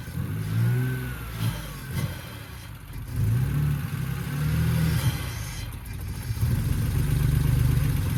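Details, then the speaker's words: BMW E46 with a replacement 2.5-litre six after the original had zero compression; freshly fitted engine catches and revs up and down smoothly and evenly with no knocks. Normal running after engine swap. "God damn, sounded pretty good for a 2.5 little liter, but all right, guys."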